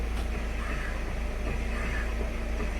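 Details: 2017 Jeep Patriot with six-speed automatic, engine running, heard at the right rear: a low, droning throb pulsing about four times a second. The right rear axle and both rear wheel bearings were reportedly already replaced, and a vibration and wobble on acceleration remain. Source still unidentified.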